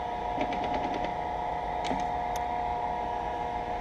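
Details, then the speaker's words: Cincinnati 205 milling machine, X-axis table power feed moving. A steady motor hum, a quick burst of light ticking, then sharp clunks as the feed stops and restarts. The feed stutters as if a gear is slipping; cause not yet confirmed. "what I'm going to do is move the table and the x-axis and that's what I'm talking about that noise that you hear and what it does is it makes us a stutter it'll actually stop and then run smooth and then stop"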